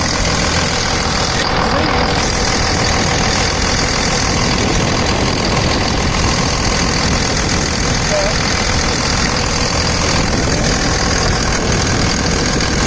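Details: 2000 Dodge Ram 2nd-gen Cummins diesel after bypassing AC compressor pulley with 65" non-AC serpentine belt: steady, even idle clatter, no belt squeal or chirp from front; tensioner steady, plenty of pulley clearance; normal idle.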